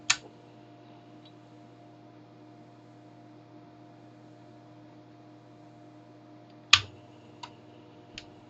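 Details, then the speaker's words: Commodore 1571 floppy drive, repaired with a replacement mains filter and wired for 240 V, at power-on: a switch click, the light comes on, the motor spins briefly then stops, leaving a quiet hum with light clicks. Normal power-up. "I think the drive light came on, it spun temporarily and then the drive light went on and it stopped."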